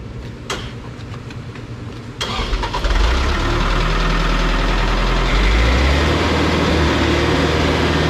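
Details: Putzmeister TK50 concrete pump diesel engine starting; brief crank, then it catches, rises and settles into a steady, even low idle with no knocks or misses, normal start.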